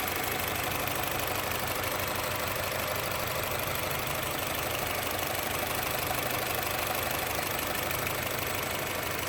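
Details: Honda City engine at idle: steady idle with faint uneven pulse about three per second and hissy top end; rough idle.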